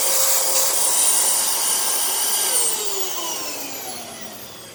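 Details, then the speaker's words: 2002 Dyson DC07 HEPA+Bactisafe vacuum, bin and filter removed: steady high-pitched rush with a faint whine falling away on spin-down; motor sounds slightly strained, suspected clogged HEPA filter needing replacement, otherwise sound. Motor whine. "it has a little bit of a wine but it still sounds perfectly fine there's not anything out will be wrong with it"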